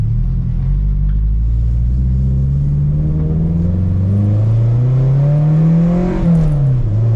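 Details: 1995 Nissan 240SX S14 drift car after parts fitted: deep steady idle rumble with a couple of smooth throttle blips rising and settling, no misses or shake; normal idle.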